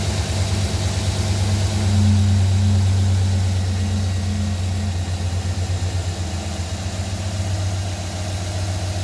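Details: 2009 Silverado, cold start: deep drone with a regular knock about three times a second over the idle; engine knocking, cause unclear.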